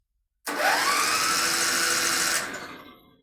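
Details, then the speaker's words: Contax tractor, starter wired directly to battery with another cable bypassing solenoid and small leads: starter spins up quickly and cranks strongly and evenly with compression, no dragging; normal starter cranking, corroded solenoid or crimped leads suspected. "Oh, wow. Okay. Well, no problem there then. Starter works fine. Well, starter works fine. Sounds like we got compression."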